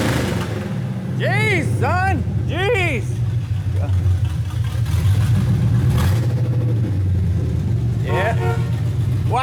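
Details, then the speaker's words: 1987 Chevy square-body pickup V8 on open headers with no exhaust yet, after a 700R4 transmission and torque converter swap; a deep, loud rumble pulls up cleanly and settles evenly with no knocks or misses; the engine sounds healthy. "How's it sound? Yeah, perfect. All right, we don't need to get too high because we gotta put exhaust on it, but what do you think about open headers? Sounds good. Yeah, it does."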